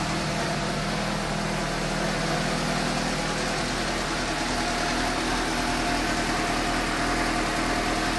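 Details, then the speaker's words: 2015 Suzuki GSX-S750 inline-four at idle right after replacing spark plugs with new OEM NGK CR9EIA-9 (due at 7,500 miles): smooth, even steady hum, no stumbles or misfires, noticeably smoother than before; running normally. "I'm do a quick spin see if it starts even though I'm good oh there really does sound smoother"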